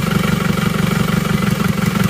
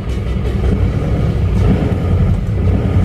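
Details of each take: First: Isuzu Panther diesel after replacing the weak cylinder 4 injector: steady idle with even, regular firing and no missing beats, all cylinders now producing power; owner still reports some shaking on cold morning starts. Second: Isuzu Panther diesel idling rough, sounding weak under throttle, with thick exhaust smoke. Uneven, loping thump as one cylinder underperforms, found by cracking injectors one at a time: misfire from low injector pressure, about 130.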